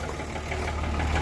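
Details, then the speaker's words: Blown-up Cummins diesel truck engine at idle after starting, smoky with blow-by, running surprisingly smooth; deep regular knock in time with the engine over the clatter; bottom-end rod knock, worn rod bearing, engine to be replaced. "she sounds like bottom end knock it sucks it's surprising how smooth it runs but it is not happy about ever firing up"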